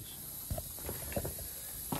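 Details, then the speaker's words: Shop air compressor during 2013 Nissan Pathfinder rear suspension work: steady, even high hiss of an air leak under a few loose metal clunks from nearby work. "okay while you listen to that air compressor leak we'll show you what we're going to do"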